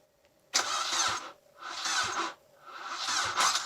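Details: SR20 turbo 200SX SE-R (automatic) after the old belt was refitted: three short bursts of fast starter whirring with pauses between, and the engine never catches, cranking but not firing; cause suspected, not confirmed, likely a weak old battery.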